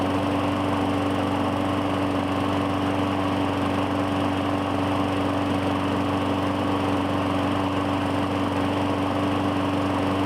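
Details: 2017 Murray 21" mower, Briggs & Stratton 450E, after carburetor cleaning: steady even buzz at constant speed with no surging or stumbling; normal running, no smoke.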